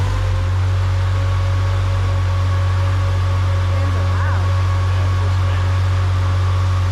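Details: Nissan RB25DET with a new Garrett G35-1050 turbo, first start after install and timing sync: loud, steady low drone at one even pitch with no knocks or ticks. Normal idle.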